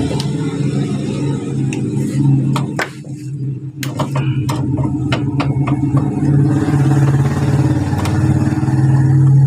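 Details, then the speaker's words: Honda Beat injection scooter starter motor, removed from the bike, with a complaint of a rough "ngek" noise when starting. It gives a rough, grumbling whir with uneven ticking. Inside it is dirty and dry; fixed by greasing the bushing end. "berbunyi karena Di sini kering ya di dalam sini kering jadi cukup kita lumasi di bagian sini menggunakan gemuk ya"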